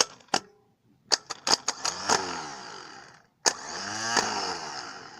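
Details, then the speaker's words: 1987 Chevy S-10 starter, rebuilt to fix slow turning, bench-tested off the car with jumper cables to the main post and S terminal; a few clicks, then two clean whirring spin-ups winding down smoothly without grinding; normal starter operation. "it sounds like it's working fine we'll go install this back in the car and try it out"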